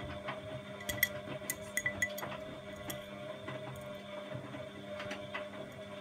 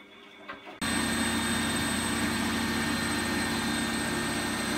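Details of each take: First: Bosch WFF2000 washing machine during the rinse: a steady electrical hum from the drain pump with clinks over it, cutting out and returning without draining; a pump fault is suspected and a spare pump is to be fitted. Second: Bosch WFF2000 washing machine test wash after drain pump replaced with Askoll unit: after a quiet start the drum picks up to a steady, even high whir with smooth hum; normal final spin.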